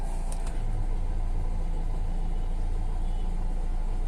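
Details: Hyundai Verna 1.6 diesel after cranking with no start from immobilizer transponder fault P1693, fixed by using the correctly matched key: steady low diesel idle rumble, even with no knocks or misses.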